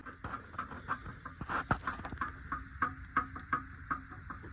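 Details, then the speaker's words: 2021 Hyundai Venue, 25,000 km, driven over patchy road and small stones: uneven, rapid hollow knocks about three a second from the front; suspension noise traced to a worn steering rack, not serviceable and needing replacement. "இந்த வண்டியோட suspension noise steering ரேக்லதான் வருது."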